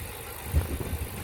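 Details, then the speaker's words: 39k-mile Dodge Charger SRT8, first start in over 2 years, running on starting fluid with Liquid Moly added: short burst of low, even idle rumble, no sharp knocking or ticking felt; engine healthy, no rod knock. "Running. Sounds good. Got it running with some starting fluid."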